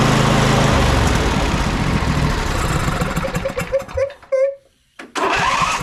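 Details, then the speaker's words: Husqvarna YTH22V46 riding mower twin after adjusting excessive valve clearance: starter turns it over at an even pace without hanging up, catches and runs; compression release working, normal cranking and start. "got okay so now what we're having here is that with those valves closer this side is not locking up like it was before that low speed compression release is able to release there and it's able to while this thing's going slow it's able to turn the unit over"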